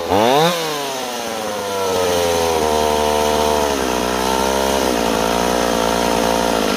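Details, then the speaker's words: Stihl 028 chainsaw, idle deliberately turned way up to keep it from dying while tuning: fast idle wanders and dips every few seconds; surging, owner suspects air leak between carburetor and intake boot. "Notice I turned the idle way up earlier. The reason I do that is because it's hard for me to pull cord, and so it's easier for me to turn that idle way up to keep the saw from dying and work the tuning from there,"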